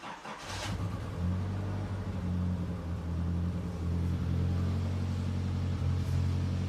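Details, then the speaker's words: 40-year-old Nissan 200SX S12 single-overhead-cam turbo engine at idle: mostly smooth, but the hum briefly dips and stumbles every few seconds; intermittent misfire identified on cylinder 2, root cause not yet confirmed. "We're definitely having an intermittent issue on cylinder number 2 that we're going to try to resolve with some, I'm sure, very healthy c"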